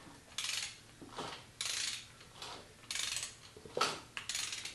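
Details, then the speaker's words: 1959 Harley-Davidson Ironhead Sportster (Harton), transmission, clutch and primary assembled. Turned over slowly without firing, a sharp metallic click comes in irregular bursts about once a second. Internal click, cause not yet found. "that click? Hear that click? Click again. Click again."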